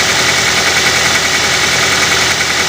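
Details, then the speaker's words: Used car engine check right after cold start, oil not yet circulated so faults would sound rough: loud even engine hum with no knocking, ticking or rough beats; normal cold idle. "Kenapa kita harus mengeeck di saat mesin Masih dingin karena di saat mesin Masih dingin oli masih di bawah oli belelum bersirkulasi itu biasanya ee akan terdengar bunyi kasar bila ada masalah pada mesin mobil"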